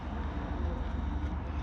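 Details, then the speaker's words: Renault Zoe second-generation (2019–2024) traction motor bearing removed and spun by hand: gritty, uneven low rumble with surges; water got inside and the bearing is very noisy and worn, to be replaced. "И этот подшипник сильно шумит."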